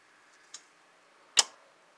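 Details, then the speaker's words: 2007 Pontiac Grand Prix with P0449 code, vent valve commanded via scan tool active test: three crisp solenoid clicks showing the EVAP vent valve works; fuses possibly put in the wrong spot. "Let's go back to powertrain, active test, vent valve. Let's listen for audible noise. Yep. It's working."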